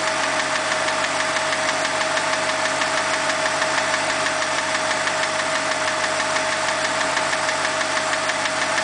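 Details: BMW 545i V8 petrol engine running with a quick, steady ticking over its hiss and hum; owner says a dealer repair would cost about $7000; engine ticking noise.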